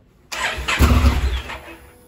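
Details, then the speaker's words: 2017 Honda Africa Twin, 11,000 miles: engine fires and runs about a second, then dies; known fault of carbon in the start-stop switch causing contact arcing, before cleaning the switch. "so obviously a little bit of internet research has shown that it's a known problem this start stop thing which is basically caused by some kind of carbon stuff on the switch inside the start stop switch floating around and causing some kind of arcing which causes the motor and not to start"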